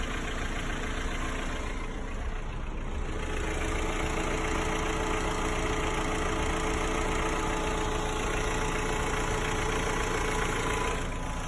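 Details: Hyundai/Kia G4KE engine, 214,000 km, 5W-30 oil, cold idle: light regular ticking knock three to four per second that began suddenly, disappears once warm and under load; cylinders and head were found fine, cause unclear.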